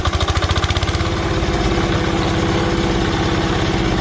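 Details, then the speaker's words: Old Japanese Yanmar 7 hp single-cylinder diesel on a trencher, just started: steady, even thump-thump settling into idle, firm and regular with no knocks; starts easily, idles healthy. "ลองสตาร์ทดูมีระบบใช้งานได้หมดแล้วครับรับติดง่าย"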